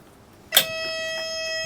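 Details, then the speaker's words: 8.2L Detroit Diesel marine engine on a boat before launch, not started for a very long time: after a sharp click, the low oil pressure warning buzzer sounds continuously with the key on, as no oil pressure has built yet. "So at the moment, it's making a racket in it saying that there's no oil pressure."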